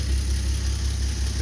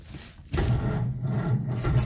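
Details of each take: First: Old Nash flathead six, 6-volt positive earth, cold start after long storage, no coolant so short run: low, even rumble with steady beat, no knocks or misses; idling smoothly after blowing black soot. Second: Old Nash flathead six with 6-volt positive-earth system, long stored, cranking slowly with foot to the floor: uneven rasping cranking swells into a brief surge as it tries to catch, then falls back without starting.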